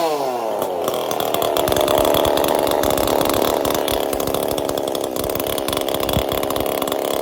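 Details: Chainsaw with a 372 carburetor, replaced choke detent bearing and copper-wire choke; revs up quickly, then holds a steady high buzz without surging or bogging; running properly after repair.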